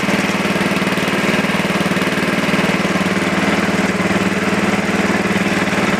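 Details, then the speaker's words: Super 12 hydro small single-cylinder engine, just started cold. Quick idle with slightly uneven chuff and pulsing beat: rough cold idle. "there we go yeah she definitely don't like the idol at all but it was kind of my fault"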